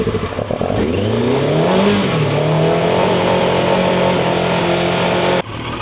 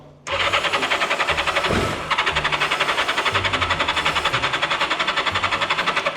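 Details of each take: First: Turbo Yamaha motorcycle, unused about 40 years, after cleaning carburetors that had debris in the bottom: the engine picks up and revs, holds a strong even note while warming, then cuts off. Running cleanly. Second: Turbo Yamaha motorcycle, unused about 40 years, after relay-connection fixes: fast cranking near four pulses a second with material blowing out of the exhaust. It sounds like it wants to start but won't catch; fuel starvation.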